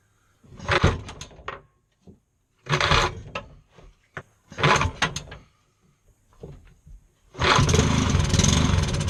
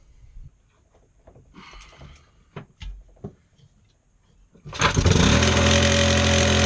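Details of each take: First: Scrapped lawnmower engine on a bench stand, first run after repair: after several pull-start tries it fires, speed rising and falling unevenly with throttle linkage jumping back and forth; hunting, cause unclear. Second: Lawnmower engine salvaged from scrap and repaired, throttle lever clamped open; after some clatter it catches and settles into a steady, even run. Sounds healthy, normal running.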